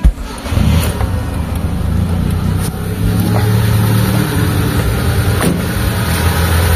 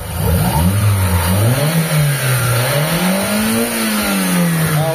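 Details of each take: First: Mitsubishi Lancer "pizza pie" 4G13 or 4G15 carbureted engine, before repair, several carbs already replaced: starts and holds a fast, steady idle that never settles; too-high idle. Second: Mitsubishi Lancer "pizza pie" carbureted engine: engine revs cleanly a couple of times and settles smoothly with no delay or stumble, no exhaust smoke; carb responding properly.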